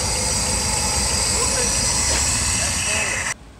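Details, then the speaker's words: 1961 Cadillac limo V8 started for the first time after sitting in storage for an unknown time: settles into a rough but steady low idle, then cuts off abruptly; it runs, though it might run out of fuel. "So who knows how long it's been sitting in the storage facility, but it runs. Yes. Yes! Bro! So, alright. Go for it, Dan! Yes! Alright, she's alive."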